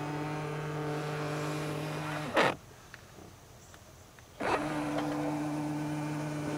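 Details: Tesla Model X, about seven weeks old, middle-row power seat that sometimes sticks and pops loudly at end of travel: here steady motor hum runs, stops cleanly, runs again with no snap or pop; seat operating normally.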